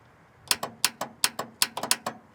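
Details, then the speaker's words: 1969 Ford Mustang Mach 1 with new starter, still not cranking; solenoid bridged with screwdriver: about ten sharp dry clicks in bursts with no cranking; owner suspects bad solenoid despite clicking. "hear that? That's the solenoid clicking."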